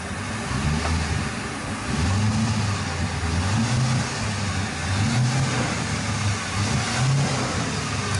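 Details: Boat engine revving in the final test after spark and fuel fixes; it previously would not exceed 4,000 rpm. Deep, even note rises and eases with throttle, with no stumble or misfire. Sounds healthy.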